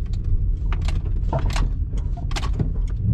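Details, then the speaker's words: 2011 Subaru Legacy driving on road, GoPro mounted: irregular sharp clunks through road rumble under braking and over potholes. "Oiga oiga inmediatamente freno Oiga oiga eso te oye eso es un ruido feo feo"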